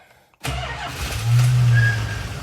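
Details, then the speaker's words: 1982 Chrysler Imperial, no fuel pump sound heard, tank holding 13 gallons, started on ether: cranks, catches and revs briefly, then sags and dies within two seconds as if fuel-starved; dead fuel pumps or bad module suspected, unconfirmed. "But see, she ran on ether right there."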